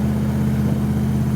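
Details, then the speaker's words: Holden Kingswood with a 304 V8 swap and a single 3-inch exhaust, cruising after a tune: deep, even V8 burble with a steady low rumble, no misses or knocks. Healthy exhaust note that sounds really good. "This thing just It's doesn't. not thong slapping at all. It sounds It sounds really good. superb because it's got a single 3-inch exhaust on it."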